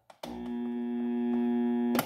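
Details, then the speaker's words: Jacto Clean J6200 pressure washer: switch click, then a steady buzzing hum, the motor never starting while current climbs to 30 A. Cause was a seized armature bearing at the pump end, not the capacitor. "Se liga, ela fica tum, mas não dá partida e você vê no amperímetro que a amperagem vai lá em cima, chega a 30 amperes, ok?"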